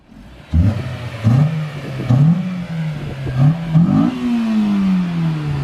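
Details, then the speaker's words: Low-mileage Honda S2000 after fitting an aftermarket intake: sharp free-revving throttle blips climbing and falling cleanly with a deep intake roar; healthy engine, sounds better with the new intake. "Sounds better, doesn't it? Oh, yeah. Do it again."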